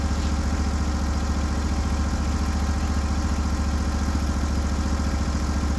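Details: Norwood HD36v2 bandsaw mill testing new roller guides in place of the ceramic guides, in black oak: a steady, deep engine drone with an even low pulse and no squeal or chatter. The band cuts cleanly and smoothly; normal cutting under load.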